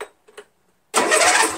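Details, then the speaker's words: Untested 13hp Briggs flathead engine on MTD Cub Cadet lawn tractor, first crank with battery fitted, no gas yet: brief, brisk, even starter churn at healthy speed; nice strong crank. "nice strong crank"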